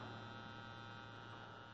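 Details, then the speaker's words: Constant low hum with faint buzz as the surround sound is switched on; an Insignia sound bar is fed by a SXM radio and an Insignia TV via a 3.5 mm three-piece splitter. The advice is to drop the splitter and plug the TV straight in. "now what we're gonna do is turn our surround sound on and if you notice still got some buzzing going on"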